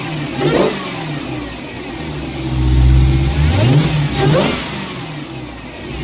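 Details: Dodge Hellcat V8 revved twice with K&N drop-in air filter replacing stock filter: thin supercharger whine rising and falling with revs; normal supercharger whine, comparing filter effect on loudness.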